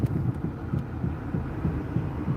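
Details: BMW 335i N54, first test drive after water pump and thermostat replacement and new drilled/slotted rotors: low dull throb pulsing about three times a second under driving hum; unexplained rhythmic noise, possibly tire-related, cause unconfirmed.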